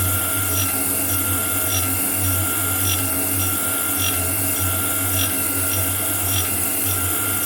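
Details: Homemade grinding attachment on a metal shaper, test grind with a dressed wheel on a shear tool: steady wheel hum with a soft rasp on each ram stroke, about once a second. A normal light grinding pass with a good finish.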